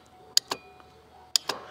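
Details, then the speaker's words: 2002 Ford 7.3 Power Stroke diesel glow plug relay test, 12.09 volts, control terminal grounded: two sharp clicks about 1 second apart, each followed by a softer click; relay pulls in cleanly. "now you can hear the click as well see that all right and that's how you test a glow plug"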